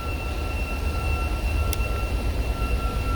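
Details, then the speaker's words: BMW 535i at idle: steady high-pitched two-tone whistle over a low idle rumble; suspected crankcase pressure leak at the front or rear crankshaft seal or the valve cover, not confirmed because no vacuum gauge was available. "535i so the issue with this as you can hear is the whistling"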